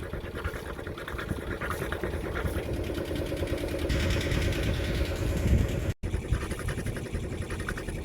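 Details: Unidentified 40-year-old diesel inboard in a Snapdragon 24 boat, propeller shaft turning forward and producing a wake: even chugging at a steady idle over splashing, no misses or knocks. Runs fine; owner will next check engine temperature.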